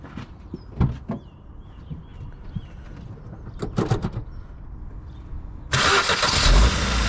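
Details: Scrap Ford Fiesta with a flat battery, jump-started using a Topdon JS3000 jump starter pack: uneven starter cranking for several seconds, then the engine catches and roars up strongly on the first attempt; a clean start.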